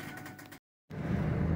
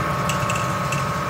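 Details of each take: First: 2006 Ford F-150 4x4 driving after the 4x4 vacuum hoses were repaired; the hub had not engaged properly and caused noise on the driver's side. Only a smooth, even drivetrain rumble remains, with no clicks, grinding or whine. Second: 2006 Ford F-150 4x4, front axle turning: light irregular marble-like clicks over a steady hum; the CV axle binds and has thrown its grease. The noise appears when driving or turning.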